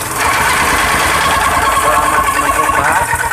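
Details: Honda GX160 single-cylinder petrol engine on a stamper (plate tamper), after repair for no-start, hard starting and a squeak when turned over; rebuilt, remounted and started. It runs steady and even with busy mechanical clatter, no knocks or stumbles: normal running.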